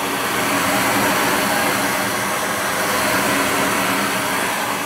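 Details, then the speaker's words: Goodman gas furnace after a no-heat repair (flame sensor cleaned): steady, even rush of air with a smooth hum, no rattles or scraping, as the blower fan runs; running normally. "all right then we'll run it make sure the fan kicks in and then we'll be all right to"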